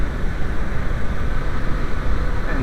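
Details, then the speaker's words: VW B5 / Audi A4 1.8T turbo petrol idling with PCV check valve plugged: steady even low rumble, no misfires, fuel trim about minus 4; smooth idle. "hey running nice and smooth right now no misfires fuel trim maybe minus 4 no big deal"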